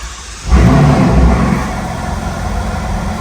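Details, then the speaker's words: Ferrari California T rough, uneven lumpy idle with wavering loudness right after starting, which then calms down; it would only start once the headlight was disconnected, an electrical quirk the owner finds strange. "it's running very rough but or issues to do the headlight so we can hear it sounds a little rough but there you go it's calm down now"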